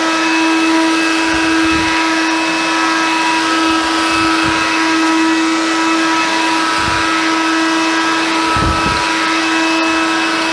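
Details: Hoover Convertible (Dial-A-Matic) U1124A vacuum after removing old filter medium blocking it: steady motor hum with constant high whine, no rattling or choking; running healthy.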